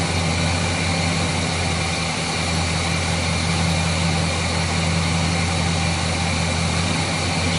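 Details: Chevrolet 350 V8 after repair of a failed valley-side intake manifold gasket that had caused oil consumption, rough idle and hesitation; it now idles deep and even with a steady low rumble and no misses, knocks or hissing leaks, a normal idle.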